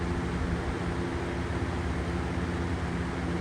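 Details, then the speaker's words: Lakewood 200i thin box fan in window, cranked up: steady airy rush with soft low hum, no rattles or ticking; quieter than the previous fan, normal running. "All right, so let's crank it up. It's not as noisy as that um cool colors."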